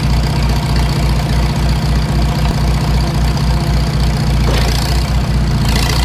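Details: Farmall Super M tractor before engine rebuild: a steady low idle with a sharp knock repeating about every quarter second in time with the engine; internal knock, cause not yet found.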